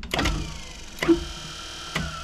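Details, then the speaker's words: 1994 Club Car DS gas golf cart that only clicked and wouldn't start; starter generator temporarily hooked to battery spins with short smooth electric whirs, no scraping, grinding or stalling; sounds pretty good, normal spin. "actually sounds pretty good so i'll unhook the battery again"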